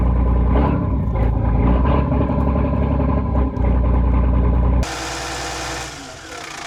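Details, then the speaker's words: Volvo Penta TAMD 71B boat engine, first start after 10 years unused in a partially sunk abandoned boat, oil pressure good: deep, steady low thrum with an even beat, no popping or misses; normal idle. "That sounds mint. That sounds really good."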